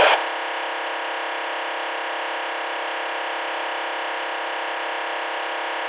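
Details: Luiton LT-316 walkie-talkie: steady flat buzzing hum of unchanging pitch from the speaker; interference of unknown origin.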